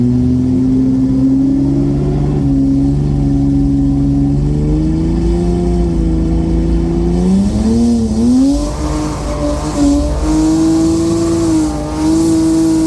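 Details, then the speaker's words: BMW N54 with Precision 6466 single turbo on a 28 psi boost map aiming for 30 psi: engine pulls hard, then stumbles and wavers mid-pull as boost overshoots and the ECU closes the throttle; overboost throttle closure. "it kept dumb having throttle closures because i was hitting um i was trying to hit 30 pounder boost so as soon as it goes over a few pound i was trying to cut it back um"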